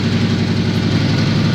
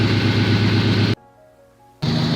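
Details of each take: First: Subaru at idle after the spark plugs were made accessible: loud, lumpy, uneven idle with occasional stumbles. The engine is still misfiring badly. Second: Subaru, warm engine idle after refitting a spark plug that had gone in skewed: steady, even idle with no shudder, and the rev test sounds normal. The misfire is fixed.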